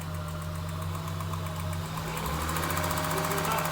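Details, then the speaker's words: 2002 Acura 3.2 TL, 244,000 km, runs after snapped original timing belt, not misfiring: fast even light ticking, three or four per second, over steady idle, quieter once warm; valve train ticking, needs valve adjustment. "It's just the valves are really noisy, which is also why you should also do your valve adjustment too."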